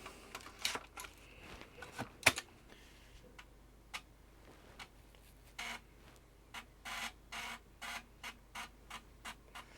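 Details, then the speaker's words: Amiga 600 with a newly replaced floppy drive, booting on 2.0 ROMs and seeking a Workbench disk: crisp head-stepping ticks, then evenly spaced seek bursts about twice a second. The drive is reading normally. "that shows us we have got 2.0 ROMs and it's looking for a disk I can hear it ticking so"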